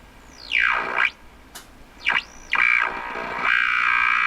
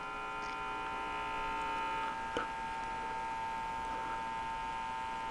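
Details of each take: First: RCA Victor 12X2 radio after full recap, 455 kHz signal injected at the antenna input: whistles sweep as it tunes, then a steady high tone; the radio picks up the signal fine. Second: RCA Victor 12X2 tube radio after full recap, brought up to about 119 V: a steady low electrical hum with a buzzy edge persists despite new electrolytic capacitors; hum source not yet traced.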